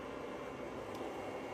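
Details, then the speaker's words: Stetsom high-voltage Class D car amp run on 400V DC from an EV traction battery, after fitting an external high-voltage capacitor output filter against the 8.74 kHz switching whine: only a faint even hiss, no high-pitched squeal; output clean and quiet. "We are now sufficiently clean. Like I mentioned, I'm being very conservative on the capacitance. I don't want to absorb too much to affect the music output, just enough to stop the high-pitched squeal."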